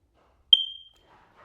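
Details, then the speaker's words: Hardwired smoke alarm giving one sharp, high chirp signaling its 9V backup battery is low; fix is replacing the battery. "If your smoke detector starts smoking a sound like that, you really should change the battery because if you let it go, it'll beep in the middle of the night and drive you crazy."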